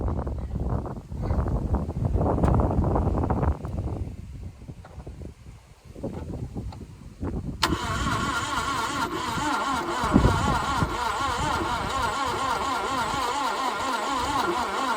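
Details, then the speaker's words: Parked carburetted 1988 Subaru Brat/Brumby that the owner says ran poorly: uneven cranking at about three beats a second, with a brief gallop that never catches, then fast spinning with no fire; testing found it down on compression. "No, there was a bit of a gallop there, but nothing definitive."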